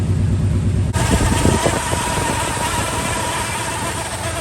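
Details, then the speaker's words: 1989 Chevy Suburban just bought from a junkyard, idling after being started on starting fluid: big engine rumble sounds good, with a faint steady whine above it from the alternator; worn alternator bearing. "needs alternator bearings that's for sure but Dad Gum this thing sounds so good wow I am absolutely shocked"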